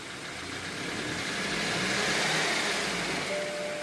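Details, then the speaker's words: 2014 BMW X4 on lift, in drive with traction control off, engine revved; strained rev holds with a different tone, sounds dragging as wheels don't turn: engine revving against locked front brakes. "I'll try to accelerate. And it sounds like it's dragging."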